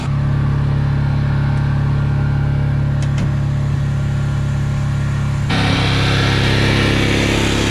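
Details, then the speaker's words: Generator in a bus-to-RV conversion, newly plumbed to the fuel tank through a 12 V 5.5–9 psi pump, testing whether its needle valve handles the pressure. Steady low hum holding one speed, no surging or missing. Running normally, sounds much better. "let's see if the generators needle valve can handle at counter pressure oh that sounds so much better"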